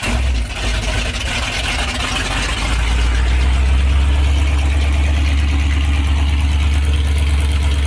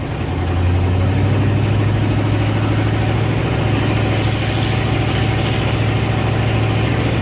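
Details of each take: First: 1984 Ford Bronco, 351 Windsor 5.8L V8 after installing Hedman long-tube headers, no exhaust yet: deep loud rhythmic rumble settling into steady even idle after start; normal open-header idle, nothing wrong. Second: 1984 Ford Bronco, 351 Windsor 5.8 L V8, just fitted with Hedman long-tube headers and no mufflers, not yet warmed up: very loud, raw, lumpy idle with a deep uneven burble, not revved; open header exhaust.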